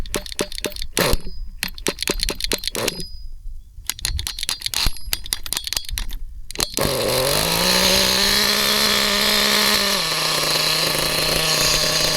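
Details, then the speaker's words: HPI Trophy Buggy nitro RC car with 3.5 engine, pull start, meshing adjusted, cold day around 30°: after a few pulls it catches and settles into a steady high buzz dropping slightly as it warms; healthy cold start. "It's going to be a bit cold, obviously."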